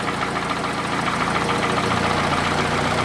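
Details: Toyota Camry, 2AZ gasoline engine, 220,657 km, heavy smoke from under the valve cover; camera on a stand by the running engine: steady idle with a regular knock about three to four per second. Cause not yet determined.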